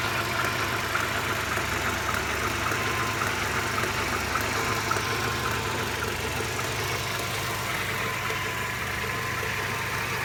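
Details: Mercedes SLK 230 R170 petrol engine at hot idle, noise only when hot: busy uneven clatter with faint whistle; new water pump, thermostat, belts, engine and transmission mounts, oil changed 1000 km ago; performance and consumption fine.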